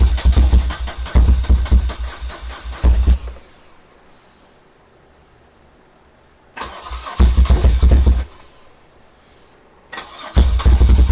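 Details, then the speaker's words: 1978 BMW R100S airhead twin after a multi-year slumber: three tries, each catching, stumbling unevenly for a few seconds and dying; runs on one cylinder, left carb blocked. "It's running, which was the goal, but it sure isn't running well. Towards the end of the video, you saw me grab some starter fluid and spray it into the left carb, and it ran."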